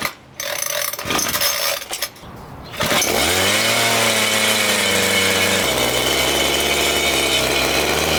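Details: Homelite 26cc two-stroke mini tiller, stored outdoors for years, after carburetor gum removal, fuel tank cleaning, fresh fuel and priming: fires after brief handling and settles into a steady, even, buzzy run holding speed cleanly; normal running.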